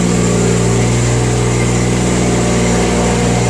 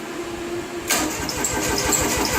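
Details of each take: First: Jacobsen Turfcat diesel mower, unused two years, after glow-plug cold start and a few minutes idling: steady even diesel clatter with firm low drone settling to slightly lower idle; runs healthy. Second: Jacobsen Turfcat diesel mower sitting two years, after insufficient glow-plug heating: starter churns in quick steady pulses but never fires; cranks but won't start, more glow-plug time needed (suspected).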